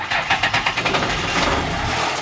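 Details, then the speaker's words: Rare 1978 Dodge diesel pickup with four-speed, started after the glow plugs were held on about 30 seconds and the pedal floored: catches with uneven knocks, then settles into a steady clattering idle; a healthy cold start. "it sounds awesome that's sweet"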